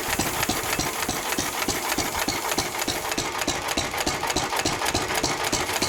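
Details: 1923 3.5 hp Emu (rebadged Hercules) stationary engine, restored early 1980s, first start in 20+ years, after oiling a sticking magneto/exhaust valve linkage: crisp evenly spaced exhaust pops about three a second, no knocking; normal hit-and-miss running.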